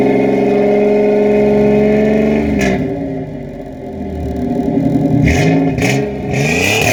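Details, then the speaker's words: 1987 Chevrolet Celebrity Eurosport 2.8 V6 (owner believes HO), 4-speed automatic: deep throaty drone as revs rise and fall, loud and raspy free-flowing exhaust, otherwise running smoothly. "But you let me know down in the comments and see what you think about the exhaust, and see if I should go back to stock or keep it like it is."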